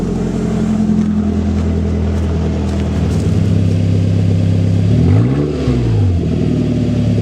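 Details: Toyota Tacoma with 2.7L 3RZ engine on a cooler day, stock muffler cut off leaving an open 2-inch pipe: raw, loud, rough bark at idle, then a quick rev rising and falling.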